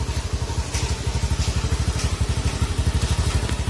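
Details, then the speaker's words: Honda Beat FI scooter after a CVT repair for a rough, humming noise around 60 km/h, test run after reassembly: an even, regular putter of about 2.5 beats a second with no rough grinding from the drive. Sounds healthy; no road test because of rain. "install dari segi suara seperti ini suara langsung suara masih enak belum berasa busik"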